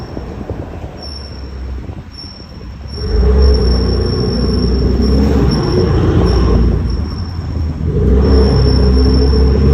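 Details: BMW M3 F80 rear brakes: thin high-pitched squeal comes and goes while turning, only when brake pads are warm, over low road and engine rumble.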